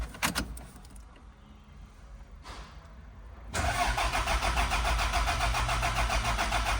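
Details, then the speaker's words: 1990 Toyota MR2 sitting for years, first start with the fuel pump plugs connected: brief crank, then catches cleanly into a steady, even idle with no misses; charging, no rev counter; normal start. "It's got no rev counter, but it runs."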